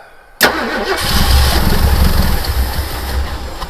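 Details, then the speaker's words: 1972 Ford Gran Torino 351C, last run November 2021, with a new remanufactured starter and gas poured down the carburetor: a sharp catch, then a deep, lumpy V8 rumble; normal start on primed fuel. "yeah I knew it would run it's a good engine just gotta get some gas in it"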